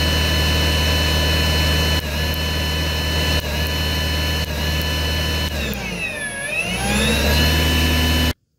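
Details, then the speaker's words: Ryobi cordless snow blower that stalls on light snow in cold, dry weather: a piezo spark to the blue data wire makes the motor whine sag, then cut out. The static discharge shuts down the battery or controller, and the fix used ring connectors. "so as you saw as i produce a spark that went to this data line it caused either the battery or the controller to shut down"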